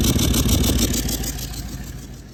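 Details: Toyota Land Cruiser 200 series 1VD diesel (oil changed every 5000 km, full synthetic), failed turbo that caused a siren noise and exhaust smoke while driving: loud, pulsing high-pitched siren whistle over the engine, fading as revs drop.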